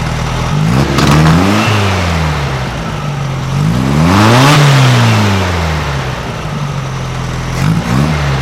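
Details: 1956 VW Beetle flat-four with Solex carburetor, after readjusting all valves to 0.006in feeler-gauge drag: smooth revs rising and falling to steady idle, no misses or knocks; much quieter, sewing-machine sound, rattle gone from either side; normal running.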